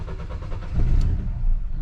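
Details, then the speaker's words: 2022 Nissan Sentra crank-no-start: engine catches briefly, surges unevenly like a misfire and dies; pressing the gas helps; fuel pump was first suspected, but a failing EGR valve is the cause. "arranca y como que se apaga luego el agua es muy sono y se le le presionamos el gas arranca pero está está batallando para mantenerse prendido está como si tuviera m fire verdad"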